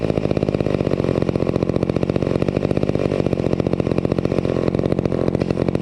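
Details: Vintage McCulloch 250 chainsaw after restoration, running: a crisp, steady two-stroke buzz with an even, rapid firing beat and no misses or surging. It purred along and ran fairly well. Normal running.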